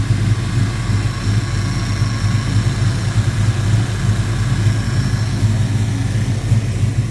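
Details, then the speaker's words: 1972 Ford Mustang Mach 1 restoration, engine at idle: even steady idle, good oil pressure, faint high whine throughout; normal power steering pump noise. "That's power steering pump. Sure does sound better now. Sounds like a power steering pump."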